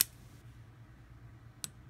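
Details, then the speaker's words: Boker Urban Trapper titanium pocketknife with VG-10 blade, flipped open: two sharp metallic clicks as the blade snaps open and the lock sticks then breaks free; lock stick, possibly fixable with anti-seize compound; blade also off-centre, rubbing the liner. "yeah there's some lock stick going on here I can probably fix that with some antiox compound that'll help"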